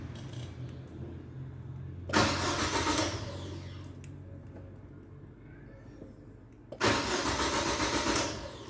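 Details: Chevrolet Aveo after installing an aftermarket start-stop push button (starter wire connected): two short cranks, each catching at once and settling to steady idle; clean normal start.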